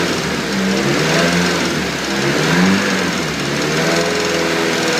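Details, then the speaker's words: Nissan S14 SR20DET with VVT removed and HKS 264 cams: persistent light tick at idle like a hydraulic lifter, still there after lifters were bled twice. "s14 sr20det sounds like it has a hydraulic lift a tick which I just can't seem to sort out"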